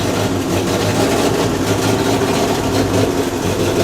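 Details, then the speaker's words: 1932 Morris Minor four-cylinder sidevalve, 6V battery, little run since early 1970s, first start attempt: steady, even low idle with soft exhaust burble, no knocks or misses, bit of smoke; runs acceptably. "doesn't sound too bad try and keep it going got a bit of smoke coming in here"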